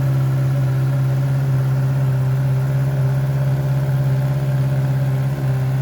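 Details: Heavy motorcycle after exhaust repair, polish, paint and reinstall, sound test: strong, even low exhaust drone with a steady pulse, no knocks or rattles; normal, healthy engine and exhaust.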